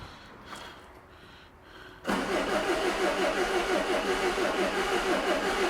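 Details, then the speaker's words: 2002 Renault Master 2.2 dCi with an intermittent crank-no-start, after fitting a genuine pump and heater plugs and priming out air bubbles, air box off: steady cranking at about three compressions per second, never fires. Crank, no start. "Oh, doesn't start. Well, that I was not expecting."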